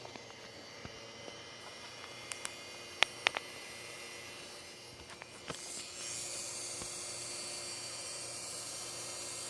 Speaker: The sound of my CD drive. Hear that screeching noise?